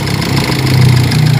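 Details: Hyundai Accent CRDi diesel warming up after repair work: a steady idle with an even, deep, low rumble and no misses or knocks, running normally. One person suspects from the sound that an injector is close to failing.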